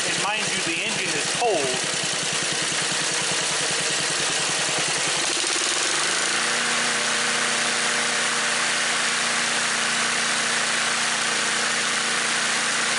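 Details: Small engine at idle and wide-open throttle, with a new HIPA aftermarket carburetor: quick busy beat settling into a steady, even hum; normal running.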